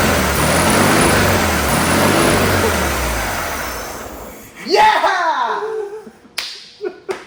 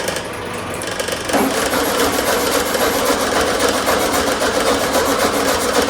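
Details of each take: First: 1972 VW Super Beetle air-cooled flat-four, first start after sitting 30 years: catches and runs rough but steady for a few seconds, then dies off. It fires right up and sounds good, with little blown from the exhaust. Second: 1972 VW Super Beetle air-cooled engine, long stored, during no-start troubleshooting: steady fast starter churn, about three to four turns a second, never catches. It cranks but won't start after they check whether the carburetor squirts fuel.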